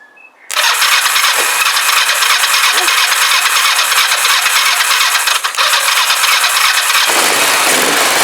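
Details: Rebuilt Kawasaki GPZ500S twin in a frame, first start after spark restored by jiggling HT leads and filling float bowl: short crank catches into a loud, raspy run on unsteady revs; engine fired and runs.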